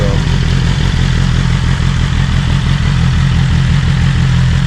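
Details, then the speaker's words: BMW S1000RR on its stock exhaust, already warm, with the exhaust butterfly valve stuck open after the actuator cables were disconnected. Loud, deep, even idle burble with a heavy low growl and no misses. "it's got a deeper growl to it with the valve just open."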